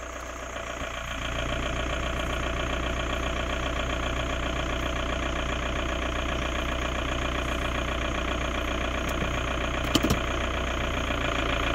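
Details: 2002 VW Jetta TDI diesel idling in Park, AC off then on: steady low rumble with an even clatter on top that barely changes, source of the noise unclear.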